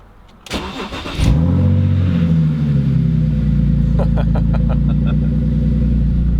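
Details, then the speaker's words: BMW Z4, roof off, cold start after sitting several days: short crank then a clean catch, flare and settle to an even, throaty fast idle without misses; healthy cold start. "It honestly sounds so throaty, it's ridiculous. It is ridiculous."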